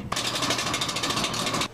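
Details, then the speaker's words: Gas furnace: a harsh, rapidly pulsing grind with a faint steady tone underneath, then an abrupt stop, a broken blower motor. "a broken blower motor might have a grinding sound like this"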